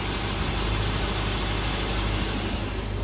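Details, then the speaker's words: LS V8 swapped into a 30' Bayliner on Mercruiser Alpha drive, after installing shift-interrupt ignition cut: idling around 750 rpm, steady even low rumble with no knocks or misses; normal idle. "all right so we're running now have it uh around 7 50 rpm stalled it but uh there you go"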